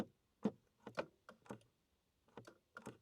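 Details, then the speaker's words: Mercedes electric steering column stuck, mic near the adjuster while the button is pressed: a few short, sharp relay clicks with no motor whir, showing power arrives so it is not a fuse or motor issue. "That click you hear, which means you're getting power to it and it's not a fuse issue or a motor issue."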